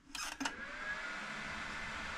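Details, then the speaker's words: 2003 HP Pavilion 764N Pentium 4 PC with a 2002 60 GB hard drive, stored in a basement about 15 years, cleaned, first power-on: a click, then a smooth fan whoosh rising to an even hum with no grinding or ticking as it boots into BIOS. Normal fan spin-up. "So, right off the bat, we have power. I can hear the fan spinning up. And we are booting up."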